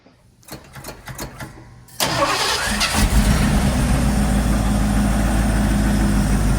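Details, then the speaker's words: 1978 Ford F100 V8, first start after replacing the worn harmonic balancer and many gaskets: a few quick cranking turns, then it catches and settles into a steady, even idle, a healthy start, before warm-up and leak check. "He's getting ready to start it up and pull it out, and then we're going to let it heat up, warm up, and make sure we don't have leaks."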